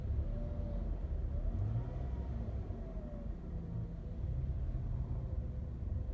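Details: Toyota Camry ACV40 with a howling whine that sounds like a failed bearing, rising and falling with engine speed at the front of the engine; the cause is a failed alternator diode, and the alternator is to be removed to replace the diode.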